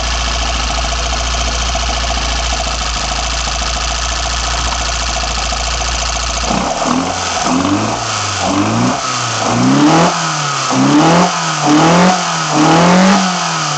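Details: BMW 318i M10 engine on first startup after fitting sidedraft individual throttle bodies: a steady, even idle for several seconds, then clean throttle blips rising and falling smoothly, so it runs healthy and responds crisply.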